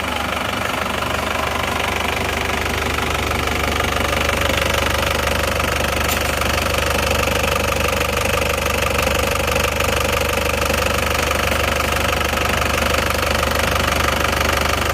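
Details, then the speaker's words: Isuzu Panther diesel just rebuilt (new rings, liners) after overheating from lost coolant and heavy blow-by, first start, still cold: steady, even idle clatter about two beats a second, no wavering; runs smooth, some smoke while cold. "Alhamdulillah hidup stabil ya hidupnya stabil tidak goyang"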